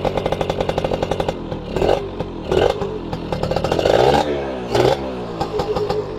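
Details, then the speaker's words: 1997 Yamaha F1ZR two-stroke, original exhaust with baffle (gaswall) still fitted, air filter removed, engine said to be in good condition: crisp crackle with rev blips rising and falling cleanly, idle settling evenly between bursts; normal healthy running. "Ini sudah ada masih ada gaswallnya ya guys. Di sini masih ada gaswall. Kalau mau lebih keras bisa dibuka gaswallnya."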